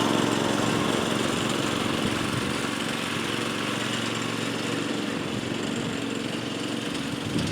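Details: 1992 lawnmower 5HP Briggs & Stratton single-cylinder engine fitted to a DR Power Wagon utility cart, after a fuel leak repair. It runs smooth and steady with a constant buzzing beat and no misses or knocks; sounds healthy.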